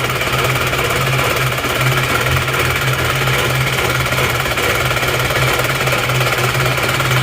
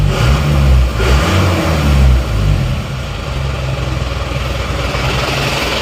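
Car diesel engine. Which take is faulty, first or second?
first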